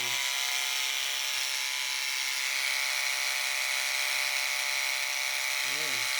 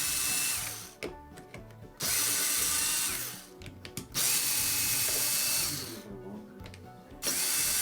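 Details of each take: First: Wahl Lister Stablemate livestock clipper after cam bearing and gear replacement, blade tension five turns back: steady, even high-pitched buzz with no labouring or rattle, blade not even warm; normal running. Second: Wahl Lister Stablemate livestock clipper, customer reports it is loud: switched on and off in bursts, harsh high-pitched buzzing grind; worn cam bearing and gear, to be replaced.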